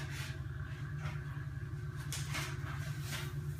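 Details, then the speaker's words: Nutone QT110 bathroom exhaust fan dated June 1998: loud, steady low hum with a rough, fluttering drone and airy hiss. The motor is noisy and moves very little air, so it gets replaced. "Let me turn it on. It's loud. It doesn't really blow so well."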